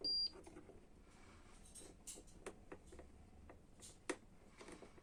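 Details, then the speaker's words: Canon i-SENSYS MF4410 printer control panel button checked with continuity tester on its contacts: one short clean high beep of about a quarter second when pressed, so the contact closes and the button works; silence would mean faulty. "Սեղմելուց եթե լսում ենք այս ձայնը, հետևաբար կոնտակտը միացել է իրար, կնոպկան աշխատում է։"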